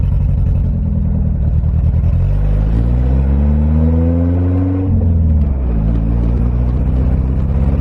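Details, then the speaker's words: Toyota AE86, already warm, driving: revs climb then stumble and fall away near the top before picking up; engine breaking up under acceleration, owner suspects a bad ground or timing still off. "Oh yeah, she's definitely still breaking up. I don't know what is wrong. I think it is bad ground. I'm gonna go with that. Or the timing is still off."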